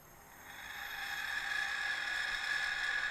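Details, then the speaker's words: DJI Mavic brushless motor fitted to a flashlight in place of the old motor, driven via 1S 10A speed controller and servo tester: smooth, even high-pitched whir, spins up and settles steadily, much quieter, practically no vibration. "Ez a motor sokkal csendesebb. És nézze, gyakorlatilag nincs rezgés."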